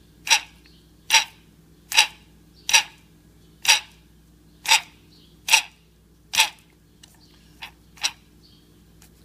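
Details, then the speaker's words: Defective throttle control motor from a 2JZ-GTE Toyota Aristo throttle body (P1128 throttle lock malfunction code), turned by hand: dry, sharp clicks about once a second with no armature resistance, the motor clutch slipping; replaced with an OEM motor. "go fast obviously there's an issue with the clutch in there it's not spinning the electric water I don't feel resistance like I'm turning armature and brushes and all that this is just a clutch you can hear it"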